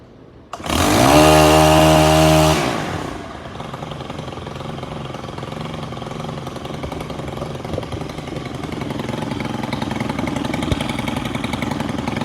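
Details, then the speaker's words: STIHL FS 131 R trimmer, previously hard to start, no idle or mid-range despite new carburetor: brief full-throttle rev then steady, even idle; fixed by repairing a tiny hole in the valve cover. "Let's zoom in here and get this thing cranked back up, and just, it's gonna run like a dream now."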